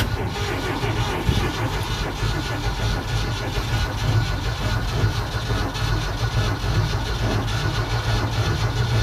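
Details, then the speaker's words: Carbureted vehicle on an October cold start after sitting about two months, no choke, throttle pumped, float bowl probably dry, gas gauge reading empty: slow starter churn of about one beat a second goes on without catching; extended cranking, likely fuel starvation. "But because the float bolt will probably dry, so we'll crank it here for a minute. Maybe it'll pop off, who"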